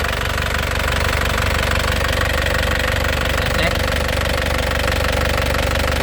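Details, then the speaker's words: 2016 Isuzu LS Turbo diesel, warm engine, dry turbo, no oil seepage: even diesel clatter at steady idle, about four beats a second, no shaking or stumble, no smoke; healthy normal idle. "ya Lur untuk suara mesinnya ya suaranya benar-benar istimewa Lur suaranya benar-benar nya kayak mobil baru enak di telinga suaranya mesinnya tenang tidak goyang tidak pincang"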